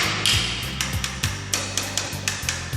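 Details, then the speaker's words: Home defect inspection with a tapping rod run over wall tiles, quick sharp taps about four per second. Well-bonded tiles ring high-pitched; some sound dull, hollow and empty, indicating a cavity and debonded tiles over the cement render, which are marked. "So yang saya tanda ni, bunyi dia kosong, lopong, ada ruang rongga."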